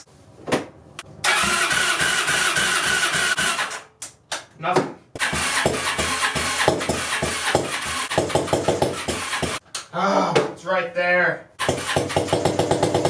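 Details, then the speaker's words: 2002 Yamaha Breeze 125 quad on a start attempt after an engine rebuild for a bent valve. It catches with choppy, irregular firing, then dies. Owner suspects the exhaust valve is hitting the piston or needs valve adjustment: rough running. "it sounds like the Piston isn't turning over nicely and I have a feeling it's the exhaust valve just because of the way it sounds how like choppy it is"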